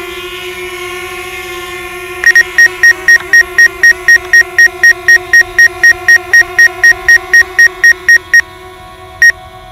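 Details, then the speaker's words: DJI Mavic Air drone on its first flight hovering near an obstacle: sharp high beeps about four per second over a steady hum and music, a repeated obstacle proximity warning. "today's Edyta see that hover is solid that's a brand new that sit beside you know that beep and a man it's like hey get out of the way dude I'm about to hit you"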